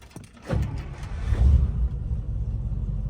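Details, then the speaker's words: 1955 Buick, slow to start and stalling at low speed, owner suspects carburetor: uneven cranking after pumping gas, then catches, revs and settles to a rough idle that stalls unless throttle is held; needs about 15 minutes warm-up. "so I gotta keep my foot on the gas a bit just to keep their car running or else the car will just stall and you'll die"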